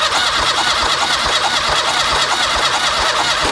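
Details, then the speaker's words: Car cranking with a spark plug removed, plugs worn and running rich, fuel pump audible and raw fuel smelt: a steady starter whirr with soft thumps about twice a second and no firing; crank-no-start from no spark. "So, I can hear the fuel pump going, but we're not getting a spark, and now that the spark plug's out of that cylinder, I can smell neat fuel. So, we're getting fuel, but we're not getting a spark."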